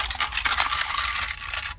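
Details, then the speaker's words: 2013 Ford Edge radio/CD unit shaken by hand: bright metallic jingling of loose coins inside the CD mechanism, which were shorting the radio, blowing 20 A fuses and killing the AC and dash controls. "So when I'm doing some check, I see kind, as you can see right there, there's a kind inside that CD player piece there. So when I look right here, I see a kind right there also. So I don't know if you guys can hear it, but I'm gonna shake it."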